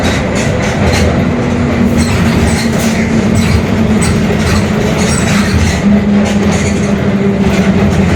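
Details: Mercedes-Benz OF-1721 Bluetec 5 extended urban bus, Mascarello GranVia Midi 2014 body, built 2021, at speed: a constant low growling hum under the road and engine rumble, from a growling differential.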